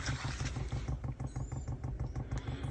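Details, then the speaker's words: Chinese diesel heater in a van, quiet install, fuel pump priming fuel through the line under the lid and a dense cushion; soft, muffled, even low ticking about seven times a second, barely audible: normal fuel pump ticking. "very quiet hear that you can just hear it you're struggling to hear it you can't you won't be able to hear that when you're sleeping there's no way"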